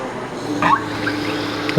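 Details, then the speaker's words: Yamaha YFZ450R after reattaching knocked-off fuel pump wire, key on: faint steady hum about a second under room noise as the fuel pump primes, then it starts; normal fuel pump priming. "we can hear it priming fire her up all right this girl is back in business"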